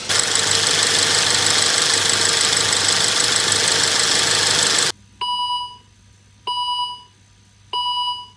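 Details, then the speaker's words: Volvo V70 T5 240 bhp estate at idle after a wire repair, during coolant bleed with heater on and engine light still lit: steady, even idle with no misses or knocks, then regular chimes; running okay. "It sounds like it's running okay at this moment."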